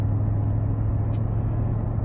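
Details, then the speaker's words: Old BMW E31 cruising: steady low rumble and hum with slight differential whine in the background, all normal, before a drivetrain rumble appeared further down the road under light throttle in fifth gear. "i can hear the differential sort of whining away a bit in the background so yeah all perfectly normal and yeah i was perfectly happy with the car the way the car drove is just the same as normal really"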